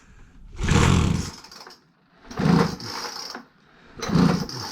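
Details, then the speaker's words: Free Craftsman 25cc gas blower with damaged carb adjustment screws, leaking fuel cap vent, patched fuel line, after starter fluid: three pull-start bursts, each a quick fading rattle, never catches; will not start. "Yeah, it's not gonna go."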